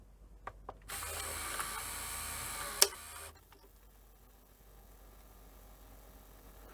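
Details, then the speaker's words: Panasonic NV-V8000 VHS recorder under repair, with a video output fault and recapped power supply. On play after the heads stop, a high whirring run-up lasts about two seconds; the mechanism is slow to reach speed, and the owner suspects the power supply. "I don't know where you could hear that but it just seems to take a while to sort of get up to speed now I just think it's it is power supply"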